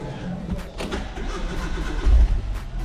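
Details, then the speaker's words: Hyundai no-start after repair with new fuel pump and new plug fitted, pump drawing six amps: short crank catches quickly into a steady low idle, no stumble or misfire; normal start and idle. "here we go she's up and running and we are at six amps beautiful happy days"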